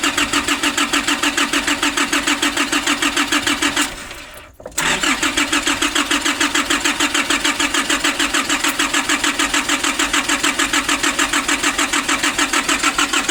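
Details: 2005 Nissan Urvan diesel, cold, sat for years, diesel pump pipes and bolt replaced, fuel filter primer being hand-pumped: steady starter cranking, brief pause, more cranking without catching; fuel not yet reaching injection pump.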